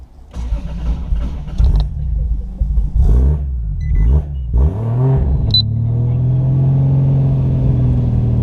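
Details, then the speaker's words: Toyota JZX100 Chaser, 1JZ VVTi with G25-660 turbo, stock ECU, pump gas, MAF unplugged: several seconds of uneven cranking after stalling, then catches to a rough idle; hard starting, plugs fouling, running super rich. "like fouled out for me super rich okay we're good"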